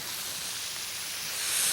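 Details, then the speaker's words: Pressurized drip irrigation line under bark near a bush: steady high-pitched hiss swelling slightly, water spraying from a snapped-off or broken line; possibly a second leak nearby. Water leak spray hiss. "oh it's right in here isn't that something right in here there's another leak"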